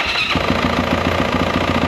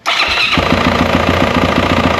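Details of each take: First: 2024 Yamaha YZ450F after primary gear replacement fixed a broken-tooth knock: catches and settles into an even, quick pulsing idle with no knocking underneath; now running quietly and healthy. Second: 2024 Yamaha YZ450F auction bike sold as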